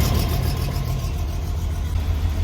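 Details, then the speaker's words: 1989 BMW 325is (E30) idling the day after an exhaust patch, with fresh fuel, injector cleaner and a new air filter. A faint puffing tick rides on the steady low idle. Less bad than before, but an exhaust leak remains at the bottom of the header. "so it doesn't sound quite as bad. We definitely still have a leak down by the bottom of the header."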